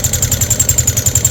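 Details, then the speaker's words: Yamaha Sniper 150: fast, even ticking over an unevenly idling engine; no oil reaching the head, valvetrain starved, coolant leaking into oil through a failed water pump seal. "Walang umakit na langis. Walang langis mga boss."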